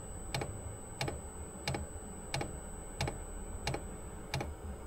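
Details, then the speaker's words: Chinese diesel air heater (Sirocco/Webasto type, Smart Heater) installed in Opel Vivaro van, recorded inside van while warming up: soft evenly spaced ticks about 1.5 per second over quiet hum; normal dosing pump ticking. "मैं वैन में वापस आ गया, पंप चालू हो गया, अब तक यह शांत था, मैं शांत रहने की कोशिश कर रहा हूं ताकि आप सुन सकें।"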